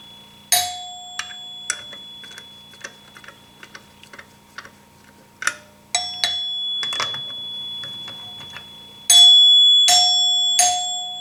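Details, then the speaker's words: 1974 Gottlieb Magnetron EM pinball three-chime unit after rebuild: clean bell tones struck one by one, long sustain, no clack because the plunger bounces off a seal; chimes working properly. "See, they got that sustain to them."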